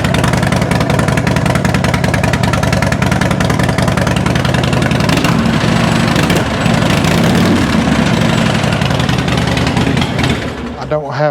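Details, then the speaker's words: Uneven 2006 Harley Dyna Wide Glide V-twin stumbles and drops beats as throttle comes in, then dies; it only runs well if the throttle is held slightly open at start. Owner suspected the idle control valve, but the cause was an intermittent fuel pump ground. "It starts missing as soon as I get on throttle. However, if I hold the throttle open just a hair, then turn it on. It runs great like that."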